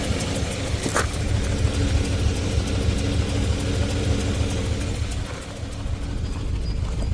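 Idle is uneven, with a loping beat and irregular stumbles in the low rumble; the engine is misfiring, though the cause isn't clear.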